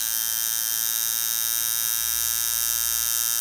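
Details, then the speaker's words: Camber Custom coil tattoo machine with short springs and coils, turned up to 9 volts: pitch changes, fast steady high buzz with crisp, even rhythm and considerably more power than at 7 volts; running smoothly, not yet overloaded. "changing noise again considerably more power certainly over the seven volts quite a lot more power now these are only short springs so we don't want to overload a short coil"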